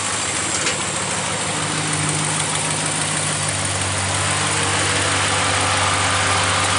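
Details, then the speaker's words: 2015 Ram 1500 idling with A/C compressor clutch jumpered straight to battery, fully engaged, not cycling: steady idle with even compressor hum and hiss, no knock or squeal; air ice cold, compressor fine, connector to be fixed. "it's all ready yeah it's already cold ice cold nice and cold so compressor is working much seems to be working"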